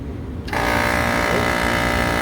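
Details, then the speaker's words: Bar AC condenser compressor on three-phase after rewiring contactors to lug style: kicks on with a harsh, buzzy, rattling drone instead of a smooth hum, running backwards from reversed phase rotation at the compressor; fixed by swapping two leads. "that sounds incorrect so we got a phase rotation issue there let's fire up the other compressor that's incorrect"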